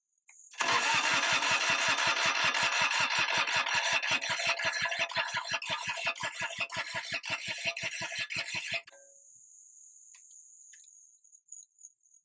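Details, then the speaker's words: Kubota G5200 HST diesel mower that sat for years: about eight seconds of steady cranking at roughly three compression beats a second, never catching. The click-clack fuel pump is silent, so no fuel is being delivered. "Supposed to be a click clack fuel pump here in the back. [Applause] We're not pushing any kind of fuel here."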